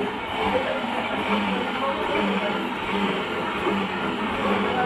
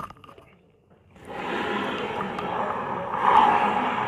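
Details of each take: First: Honda Vario 125 scooter CVT after replacing the noisy part: smooth, even whirring as the rear wheel turns, no grinding or rumble, same with the pulley fitted or removed, meaning the noise is fixed. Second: Honda Vario 125 CVT noise sounding rough like reduction gears grinding, but actually a gritty grind from a worn, dry bearing in the rear driven pulley clutch as the rear wheel turns.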